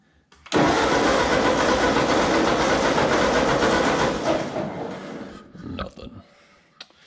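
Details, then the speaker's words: Ford 8N tractor, crank-no-start after reassembly and contact-point adjustment: starter churns the engine evenly for about four seconds with no firing stroke; no spark at all, worse than before, when it only sputtered. "yeah we have no ignition at all now so i made it worse incredibly"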